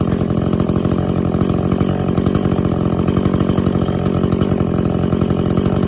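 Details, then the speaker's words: Echo CS400 chainsaw after OEM oil pump replacement and carb tune, cutting hard white oak: high buzzy two-stroke note held steady under load as the chain bites, pulling evenly without dying; chain dug in nicely; normal cutting under load. "Cutting into white oak, so should be a pretty good test for it. Nice hard wood."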